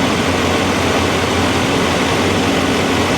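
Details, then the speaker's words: 1984 Chevy C20 V8 just started cold with choke on: loud, steady rumble with an even low beat and no misses or knocks; idling smoothly; normal idle. "that sounds beautiful doesn't it listen how smooth and quiet this thing"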